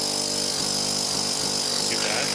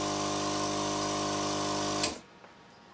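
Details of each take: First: 12-volt Thomas-type vacuum pump for electric car power brakes; constant high buzzy drone with hissy rush from the open outlet; loud discharge noise, no muffler. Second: 12-volt Thomas-type vacuum pump for electric car power brakes with muffler packed with cotton puffs; steady even electric hum for about two seconds, then clean shutoff, much quieter; normal vacuum pump running.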